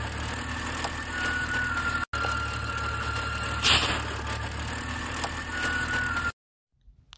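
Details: BMW petrol engine (M54/N52 breather video) at idle: a thin, high whistle comes and goes over an otherwise even idle. The source of the engine whine is not pinned down.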